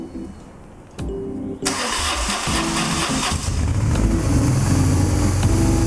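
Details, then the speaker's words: BMW R1100GS twin after fuel tank cleaning, new fuel lines and refitted throttle bodies, first start: cranks, catches and rumbles unevenly with a lumpy loping idle because the throttle bodies are not yet synchronized; rough idle. "Good news. So the bike started. You heard it was a little rough. It was a little rough starting. It was a little rumbly, but that was not surprising because the throttle bodies on each side are not synchronized."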